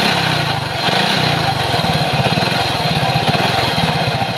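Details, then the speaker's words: Motorcycle with sidecar running a 32-tooth sprocket: loud, harsh run with a rough rhythmic thrash from one side of the crankcase; customer also reports slipping; badly worn crankcase side bearing. "So bubuksan natin yung part na ito dito ng kanyang side para malaman natin kung ano yung problema, kasi dito yung malakas yung tunog, no? Dito yung nanggagaling yung napakapangit na tunog ng kanyang makina."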